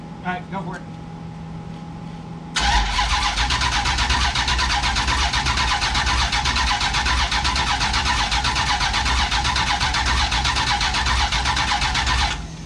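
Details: Big block Duster, first start attempt, a spark plug found left out: starter spins steadily at about four beats a second for ten seconds, engine never fires; crank no start. Spark present; owners suspect the used box.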